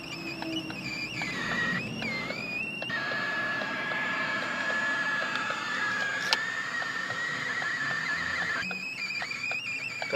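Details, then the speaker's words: Ford Focus 3 on a hot 30–34°C day: thin, steady high-pitched squeal in the cabin, seemingly from below, that continues with the engine off and key removed; source unclear. "слышно звук не пропадает зажигание выключил полностью вытянул ключ она пищит"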